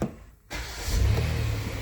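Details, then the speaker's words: 2019 Kia Sorento 3.3L with a misfire complaint, idling while a scanner shows no misfire counts. It gives a steady, even low hum with no stumble, just before the suspected cylinder 6 coil is unplugged to confirm it. "no counters on any of the misfires right now"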